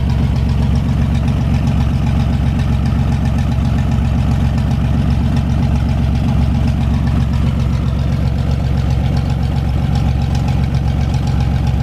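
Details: 1973 GMC 432ci V6, pulled from a parted-out truck in 2019 and unstarted for almost five years, run on a fuel can after prep: deep, steady, even idle with no knocks, misses or hunting. Normal idle.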